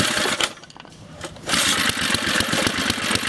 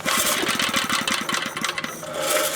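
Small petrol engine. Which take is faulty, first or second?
second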